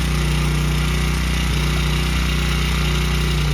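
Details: Honda CRF100F kids' dirt bike during restoration, restarted after choke-off high idle while idle screw is turned down: small single putters at quick steady idle, constant low drone, no hunting or missing; normal idle.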